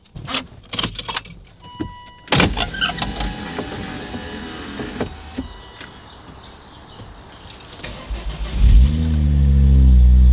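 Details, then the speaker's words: Volvo V50 T5 cold start after sitting 15 to 18 hours, windows down, no wind guard on the microphone. Keys and cabin handling, then the starter catches and it climbs into a smooth high cold idle with no exhaust manifold squeal. "obviously I mean cold start after about 15 18 hours okay so you saw there absolutely no squeal today"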